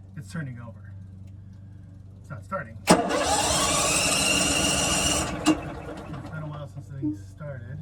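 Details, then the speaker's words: RV generator after a battery replacement with new batteries: the starter spins the engine at an even cranking beat for about two seconds, then drops out without catching; it turns over but won't start, a crank-no-start. "can't seem to get it started but at least it's turning over all right"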